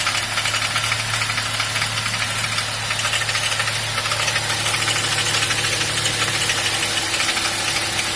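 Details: BMW 1 Series engine at smooth idle with light, uneven top-end clacking, a couple of taps a second; cause unclear. Engine ticking.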